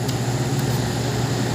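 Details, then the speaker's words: Microwave oven on 220 V AC supply running normally on the timer, with a steady low hum, constant drone and fan rush and no buzzing or arcing; the timer and heat setting cut the supply on and off. "So, hindi tuloy-tuloy yan na yan o, nagkakaroon ng cut-off yan ha."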